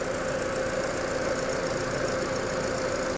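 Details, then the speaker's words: Ford EcoSport at 92,719 km, idling after an AC not-cooling repair with worn parts replaced: a steady idle with the compressor engaged and no knocks or squeals. Low side reads 30, high side 200, the compressor cycles normally, and vent air is 5°C. "ตอนนี้เดินเบาค่ะวัดค่าการทำงานด้านโลอยู่ที่30highอยู่ที่200ค่ะคอมแอร์ตัดคอมทำงานคอมแอร์ตัดต่อปกติค่ะวัดความเย็นได้ลงมาที่5องศค่ะ"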